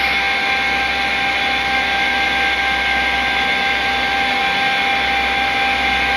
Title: YORK CHILLER YCIV COMPRESSOR ABNORMAL SOUND! SCREW COMPRESSOR! YORK AIR COOLED CHILLER